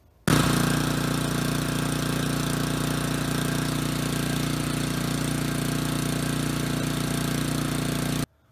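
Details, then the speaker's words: Snowblower small petrol engine after cleaning the gunked low-speed jet (high-speed jet and emulsifier already cleaned) to cure surging: runs at a steady, even idle with no surge, purring smoothly. "there you have it ladies and gentlemen she purrs like a kitten now turns out in our situation it was the low-speed jet that was causing our problems"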